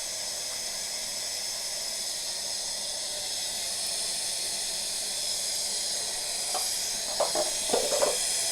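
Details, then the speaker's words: Brand-new 40-gallon A.O. Smith electric water heater being refilled, low outlet pressure complaint: steady airy hiss of trapped air venting from open line while tank fills, a few gurgles as water nears the opening. "So it's not quite full yet, but you can hear the air coming out of it. We're getting pretty close to being full right now."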